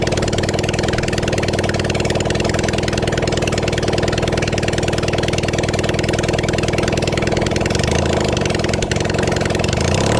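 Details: Kawasaki Zephyr 750 four-cylinder during restoration, outdoors, just after refitting carbs, with some choke, some fuel and a string throttle: steady, fairly fast idle holds evenly for ten seconds without misses or stumbles. Normal idle.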